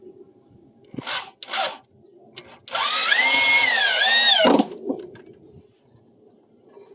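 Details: Drill driving deck screws during a deck repair, with the bit fully seated in the screw head. Smooth steady motor whine that sags slightly as the screw bites, with no chatter or bouncing; normal screw driving.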